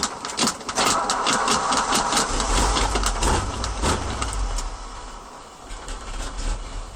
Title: hard start after work